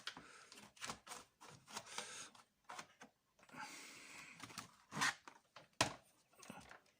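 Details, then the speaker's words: Seagate 750 GB hard drive fitted in Toshiba C875 laptop: quiet, irregular dry ticks about once a second with no steady spin-up hum; drive barely starts, clicking and judged dead. "Ouf, je sais pas si vous entendez. Je pense que vu le bruit qu'il fait là, à l'heure actuelle, pour moi ça ne sert à rien de le lancer, hein."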